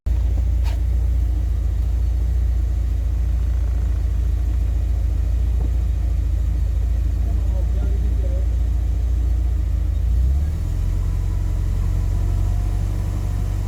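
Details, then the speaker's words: Classic car with distributor and carburetor during a tune-up: deep, even idle sitting too fast at about 1,300 rpm on the gauge, then dropping lower. The throttle kicker screw is set too high; the target is roughly 1,000 rpm. "I think that was just a little bit too much it looks like 1,300 to me on the gauge so I think I be I better back that screw off a little bit"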